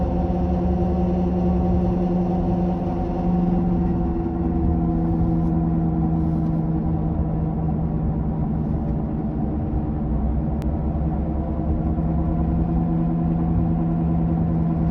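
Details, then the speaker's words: 2007 Toyota Camry while driving, before repair: a low growling drone that builds with speed, from a bad left front wheel bearing confirmed by a mechanic; wheel bearing growl. "see now I am speeding up the car and you can see the grinding growling noise also increases with the increased speed"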